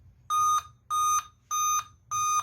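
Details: Dell 3421 laptop, Core i3, 2 GB RAM: steady mid-pitched beep every 0.6 s, four in a row, with no display at power-on; suspected memory issue, a damaged USB port possibly shorting also noted.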